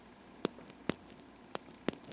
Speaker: gear there's a damaged gear in there somewhere you can hear it's getting caught so I had to order placement gears